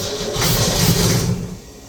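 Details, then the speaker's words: Ford Mustang engine without carburetor, starter fluid sprayed into carburetor opening: cranking, then a short ragged burst of firing for about a second that dies away, no backfire. "And lo and behold, it made some combustion. It also made so much smog and smoke, and it smelled like someone was actively having a campfire in here."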